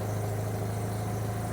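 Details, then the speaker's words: Car started after spark plug change, having sat parked outside: steady, even low rumble with no misses, knocks or ticks; engine idles smoothly and sounds all right. "So that sounds all right."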